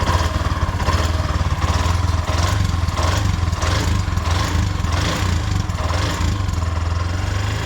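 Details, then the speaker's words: Bajaj 205cc engine rebuilt with new head, bore and shaft: once hot, sharp regular tick two to three times a second over a slightly unstable idle; tappet noise suspected from the faulty new head, carburettor also has a problem. "Sound heat ಆಗ್ತಾ ಟಿಕಿ ಟಿಕಿ ಟಿಕಿ ಟಿಕಿ ಅನ್ನತ್ತೆ ನೋಡಿ."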